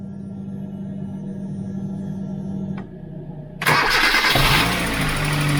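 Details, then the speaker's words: 2007 Kia Cerato that would not start, after fitting a new control unit, key and ignition lock set; a short crank, then it catches cleanly and settles into a steady, even idle. It now starts and runs properly. "заводить автомобіль Працює"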